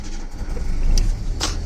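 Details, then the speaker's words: 2004 Chevrolet Corsa Evolution 1.8 with unstable idle, drastic fuel consumption and no power at high rpm; low uneven idle that wavers, lurches and nearly stalls, very shaky: rough idle traced to a faulty engine ECU. "como podemos apreciar el motor está muy tembloroso ya está full tembloroso inclusive llega a pagarse"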